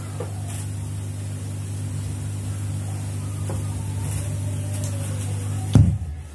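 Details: Homemade power amplifier heard on its speaker, before an MKP capacitor is fitted at the AC mains socket: a low steady hum, then a single heavy thump as the power is switched off, the turn-off thump being fixed.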